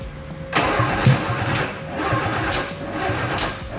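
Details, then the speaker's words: 1967 Austin Healey Sprite revived after years of neglect, cranking with choke on: even starter churning bursts that never fire or catch. "it almost seemed like the fuel was surging yeah so there those carburetors need adjusted"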